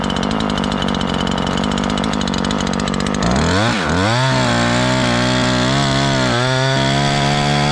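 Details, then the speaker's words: Ported Husqvarna 543 XP chainsaw under load in the cut: uneven four-stroking at first, then clears to a crisp, steady rising howl; mixture close to right, still a hair rich. "Now I just hit where it leaned out about where you wanted it, just a little spot there. So we're really close, guys. We're really close."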